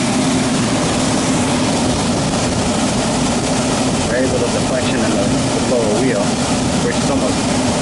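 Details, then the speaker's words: Newly installed Lennox KGB unit after fixing a bad blower wheel that caused vibration: steady, even whoosh of air with no thumping or wobble, no more vibration; normal blower operation after repair. "So let's fire it up and see what it does. Normal wobble. Nice and quiet."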